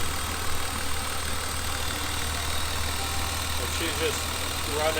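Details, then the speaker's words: 1999 BMW E36 M3, sat non-running for years on a lift, about 10 years off the street, after new fuel pump, plugs and wire harness, idling a few minutes: steady, even low idle, no ticking or stumbling; engine sounds healthy. "all right it's been running for a few minutes no electrical smoke everything looks good nothing smoking everything looks good the engine sounds great"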